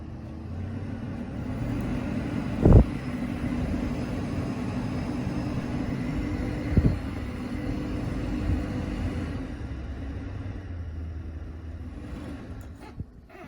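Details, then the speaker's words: 2012 Dodge Grand Caravan front interior blower motor after replacing the noisy old one: low, even fan hum with no squeal, rattle or ticking, just a couple of stray bumps; a lot quieter, running smooth. "very hard to tell on video but it's a lot quieter"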